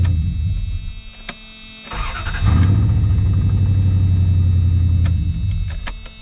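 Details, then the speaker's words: Dodge no-start job: a somewhat long crank, then it catches and settles into a steady, even idle with no stumble; normal start. "All right, started. Doesn't sound too bad either. Shut it off. It's kind of a long crank time."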